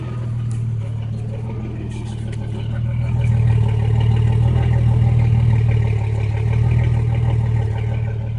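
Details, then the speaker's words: 1989 Jeep Cherokee 4.0L inline-six, first start after overhaul with new exhaust manifold: deep, even idle with steady exhaust note, no misses or knocks; normal idle. "does it doesn't sound like sounds normal okay so it doesn't sound like it's skipping"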